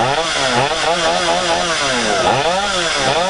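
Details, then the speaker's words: Stihl 025 chainsaw after fuel line replacement with non-Stihl line: loud steady two-stroke buzz at fast idle once fuel fills, pitch wobbling slightly as the saw moves; running healthy. "all right sounds like it's all full of fuel now"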